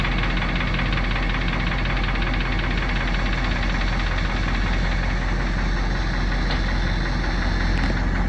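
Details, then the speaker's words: Fire truck Caterpillar 3208 turbo diesel, just started on new parallel batteries with alternator disconnected, running off battery only; steady loud even diesel rumble with light clatter, no misses; normal idle. "See, right now it's running off just the battery, so it'll run those batteries dead pretty quick."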